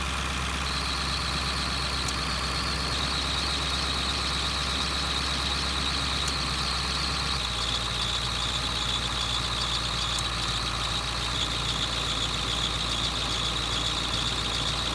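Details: 2001 Ford F-350 diesel at steady idle: constant unchanging high-pitched squeal after spraying the water pump made no difference; owner considers a brand new serpentine belt, unable to isolate the pulley; worn belt slipping.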